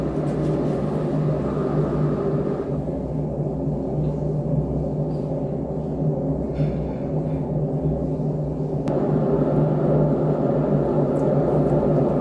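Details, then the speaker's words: LG Direct Drive front-load washing machine before bearing replacement: loud, steady low rumble with hollow gong-like ring from the spinning drum; owner suspects a worn drum bearing, later replaced. "Oke guys, ini kita udah dengar suaranya. Ini sepertinya ini bearing yang rusak."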